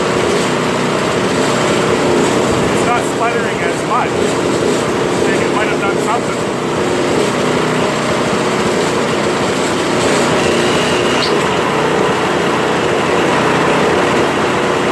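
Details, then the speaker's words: Toro Power Clear 721 RC snow thrower after a carb cleaning treatment, started on primer and choke: fast, fairly even running with an odd brief stumble. Hardly sputtering now; owner expects it to clean itself further with running. "you know what it's a lot better than what it was uh it's hardly sputtering i had a couple but uh i think the more i run it and more it's just gonna clean itself"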